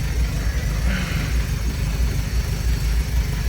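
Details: Monaquatre YN4 just after a gearbox and axle oil change (about 0.6 L gearbox, 1.5 L axle), run in gear; low, even rumble with regular soft thumps, no whine or grinding; gearbox and axle sound healthy.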